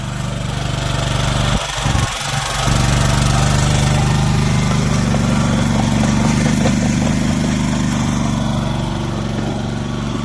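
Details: Old Japanese-import Komatsu PC01 (PT01-1a) mini excavator with a four-stroke petrol engine, 1,116 hours, being revved and tracked in a systems test. Steady, even drone holding speed as the hydraulics work, with no knocking or hunting; normal running under hydraulic load.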